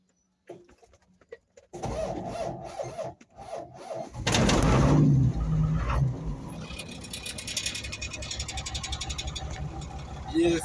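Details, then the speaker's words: Mitsubishi diesel lorry with over 2 million km, after two weeks of starting trouble (alternator or worn starter brushes suspected), now fixed: short crank, quick catch, then a steady, even idle with no stumbling. "it starts. So, problem is fixed."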